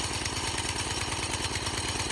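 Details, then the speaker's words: 1987 Craftsman tiller revived after sitting 20+ years, carburettor judged too big, cold and warming up: fast, steady single-cylinder idle with a slightly heavy, uneven edge and black smoke; running rich. "I mean, as far as an idle goes, this isn't bad. It can sit here and warm up like this for a minute or two, and then it should rev. Yeah, it's definitely rich, as you can see on camera, but it's got some black smoke coming out of it, so it's definitely rich."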